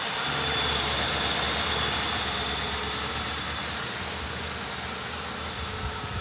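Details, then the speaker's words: 2010 Ford Crown Victoria Police Interceptor with bad fuel pump, running on a little fuel poured directly into the intake: even, steady idle with a smooth low rumble, no knocks or misses; engine sounds good. "Let's let it run until it runs out of the little bit of fuel I put in here. Engine sounds good."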